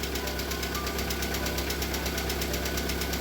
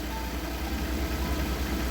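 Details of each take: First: VAZ Priora with a 126 engine, cold start on flushing oil after a cheap oil was drained dirty: rapid, even metallic hydraulic lifter tapping over the idle hum after one to two minutes. It stopped after about five minutes. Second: Lada Priora petrol engine warm at idle after about five minutes on flushing oil: a steady low hum, the hydraulic lifter tapping heard when cold has stopped.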